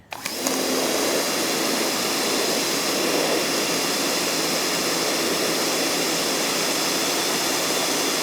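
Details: Ryobi 1600 PSI, 1.2 GPM electric pressure washer (RY141612) spraying a cinder block with the orange 15-degree nozzle: after a quick start-up the pump settles into an even, steady hiss and hum with no surging or knocking, so it is running normally.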